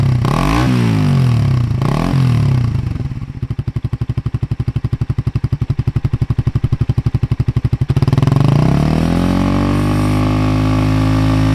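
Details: Suzuki GSX-R150 with aftermarket NOB1 exhaust and custom header, stock ECU: small single revs dropping to a crisp, even idle thump about four per second, revving cleanly with no stutter or popping; normal revving.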